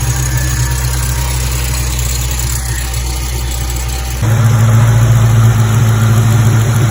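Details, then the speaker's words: SVT Terminator Mustang Cobra after the tensioner was replaced with an OEM Motorcraft part and the bearings in all three idler pulleys were replaced: a steady, even engine note with no squeal, chirp or rumble. Running normally. "really awesome job car sounds great no noise at all"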